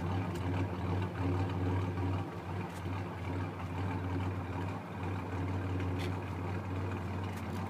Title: 1990 Ranger w/ 1994 4.0L Swap Rough Idle